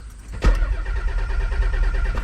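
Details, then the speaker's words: Turbo Nissan 300ZX (Z32) after months sitting: starter cranks steadily but the engine never catches and there is no fuel pump hum, although 12 V shows. Owner suspects the ECU or a voltage drop: crank no-start, no fuel pump prime. "Cuz I don't hear the pump kicking on at all. Usually, you can hear the thing hum when you turn the key, which we are not hearing whatsoever."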